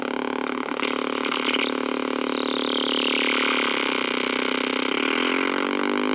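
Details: 1964 Sony 9-304U portable solid-state TV: a harsh buzz at about four pulses a second with a high, falling whistle, audio motorboating and squeal while the hold controls are adjusted; the cause was an open detector diode.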